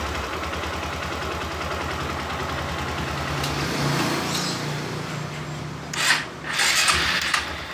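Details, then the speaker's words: Honda Verza motorcycle with an intermittent starter problem, before the battery terminals are sanded clean: slow, laboring, uneven cranking that fades after about three seconds. Weak starter cranking; a weak battery or loose connection is suspected. "Oke, ini indikasi seperti aki lemah ataupun ada yang kendor ya."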